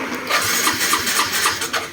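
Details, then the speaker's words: Yamaha Filano scooter, new battery, fuse intact: slow labored cranking about four pulses a second, never catching; burnt fuse holder, wire to be cut and spliced. "ใช้งานไม่ได้แล้วครับเนี่เพราะว่าสวิตช์กุญแจไฟมาแล้วแต่ว่าอีกสายนึงอ่ามันไฟเครื่องไม่โชว์นะครับผมมันก็เลยสตาร์ทมือไม่เสร็จ"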